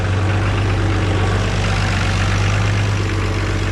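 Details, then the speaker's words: 1969 Oliver 1650 backhoe diesel after swapping leaking-diaphragm mechanical fuel pump for an electric pump, idling about 1000 rpm past 40 minutes, oil pressure good: steady even low rumble, no knocks or misses; normal diesel idle. "okay we are just past the 40 minute mark of idling here we got it at about a thousand rpm oil pressure still looks good"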